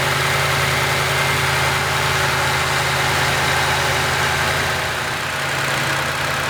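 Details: 2nd-gen Toyota Tundra, first start after installing a Magnuson supercharger: a deep, even V8 idle with a steady low beat and no knocks, misses or whine. The engine settles and runs cleanly.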